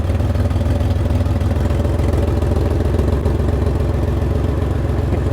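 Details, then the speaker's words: Chevrolet Camaro idling with the fuel pump relay removed: with the relay in, fuel pressure rises and it stumbles as if flooding; pulled, it calms to a steady low idle with light clatter. "you can see it calms down right here it doesn't sound as bad and look at our fuel pressure that is crazy"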